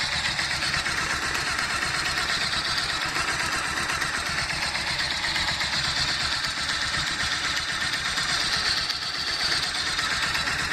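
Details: Bajaj Pulsar 220, 37,000 km, engine hot: single-cylinder idle with fast, sharp metallic knocking; persists after balancer, cam tensioner, tappet and valve clearance work; dealer calls it normal, cause unclear.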